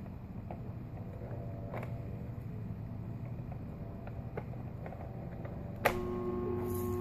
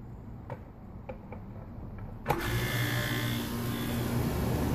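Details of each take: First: Home air conditioner outdoor unit, power restored at the breaker: click then steady electrical hum while fan and compressor try to move but cannot spin; bad dual run capacitor, fixed by replacement. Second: Home A/C condenser unit after replacing a bad dual run capacitor: a few clicks, a thump as it kicks on, then a steady low hum with fan rush; compressor and fan start immediately and run normally.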